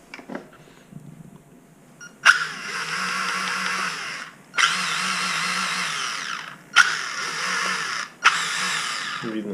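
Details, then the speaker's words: HSP H100 (94128) short course RC car: motor whirs high and free in short bursts but the car won't move; driveshaft barely twitches, as the motor pinion no longer meshes properly with the main spur gear, fixed by replacing the main gear. "чем на местности наш зверь потерял способность движение мотор ревет автомобиль никуда не едем"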